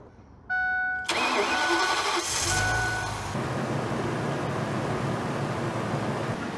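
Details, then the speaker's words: 2006 Ford E450 6.8L V10 with blown head gaskets, just after a new spark plug and coil: chime, short crank, then a steady, even idle with no miss; owner thinks it's running on all 10 cylinders, before the sealer run. "well I sure think she's running on all 10 cylinders"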